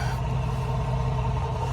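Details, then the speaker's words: 2005 Dodge Ram 1500 5.7 L Magnum V8 after wiring repair and spark plug replacement, previously running badly, one old plug bad: steady even low idle rumble with no misses, knocks or stumbles; normal idle. "Beautiful. Hasn't sounded like that in a while, I'm sure."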